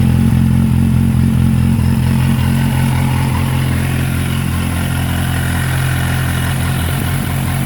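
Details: Kawasaki Z800 engine: fast, steady clatter of about four a second over a busy idle after a rev; unusual engine noise with no clear cause.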